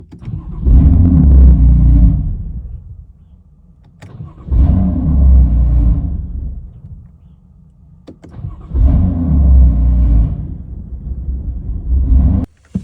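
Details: BMW F80 M3 with S55 engine at cold start: three rough, lumpy surging bursts about four seconds apart with uneven low rumble; owner reports cold-start misfire, cause unclear.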